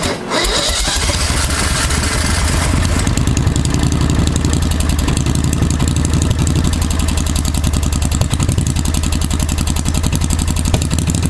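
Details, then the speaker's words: 1992 Club Car golf cart with a V-twin Briggs swap, started after about 6 months of sitting and a new CVTech secondary clutch. Short crank, then it catches and settles into a steady, lumpy putter; slow to fire: hard starting after storage. "it ain't pretty but we see if we can fire it up been sitting for a while"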